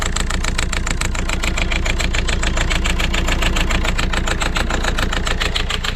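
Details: Citroën C4 Grand Picasso diesel, first start after 5 months, idle: clatter about three and a half beats a second with uneven pulse; rough idle, owner unsure whether injectors clicking or a con-rod knock, pressure regulator suspected.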